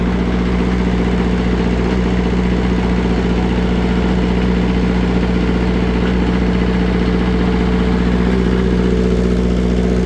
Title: Taylor / Perkins bad cylinder tons of oil blow by with popping sound